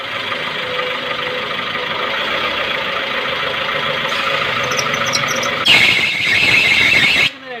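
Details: Maruti Suzuki Baleno: steady high hiss turns into a loud, sharp squeal lasting over a second while turning the steering. Steering squeal.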